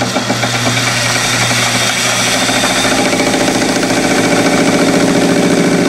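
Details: Lathe turning a model crankshaft for a two-cylinder horizontal four-stroke engine: harsh buzzing chatter over the cut, growing stronger; suspected from tool overhang rather than crank overhang.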